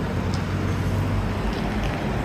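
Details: Car in Jamaica driving after new AC compressor and alternator belt replacement (seized AC bearing had thrown the belt): even engine drone under light road noise, no whine or rattle from the front; running normally.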